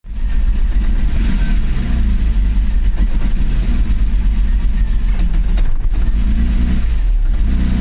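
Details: BMW E34 M5 with the S38B36 six-cylinder engine runs roughly and stumbles unevenly, misfiring because of a worn distributor cap and rotor.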